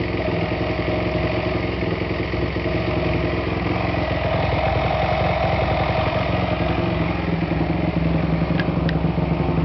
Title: 2008 YZ450 Whining Noise